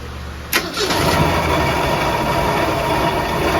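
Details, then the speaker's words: 1966 car's engine, barn-stored for years, warmed up: catches after a short crank into an uneven, lumpy idle with light ticking up top; carb needs rebuilding, oil pressure below 10 psi; top-end noise, engine possibly on its last leg. "there's some kind of noise up here and the carb needs rebuilt so this motor might be on its last leg"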